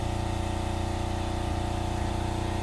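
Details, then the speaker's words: Six-year-old Fischer Panda 7.5 kW generator with Kubota 11 hp diesel, just started after fuel system bleed: steady even drone with smooth low throb, no knocks or misses; running healthy. "all right so you're running good"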